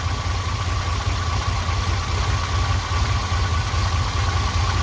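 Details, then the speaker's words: Ferrari V12 first start, with new plugs and penetrating oil; deep, even, smooth idle with no stumbles or misses, though it likely needs a tune-up and smoke is coming off the manifold. "actually doesn't sound terrible I'm sure it's gonna need a tune-up but that thing is idling incredibly smooth for 12 cylinders"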